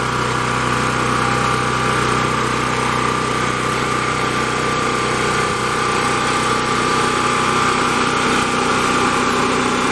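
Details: Champion 3500-watt portable generator with a 196cc engine, restarted with choke after sitting a while: a constant drone with a steady hum and even exhaust beat, no misses or knocks, running normally.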